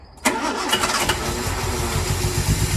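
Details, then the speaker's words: A 1902 George Richards veteran car, started on full choke after running erratically. It catches with a bang, then runs rough with uneven, lumpy low thumps. The owner suspects sooted-up spark plugs and plans to pull and clean them. "So it's running like a bag of spanners, and I think the reason is the plugs are suttered up, so Mark's going to pull the plugs out now and we'll clean them on an old-fashioned plug cleaner that we've got."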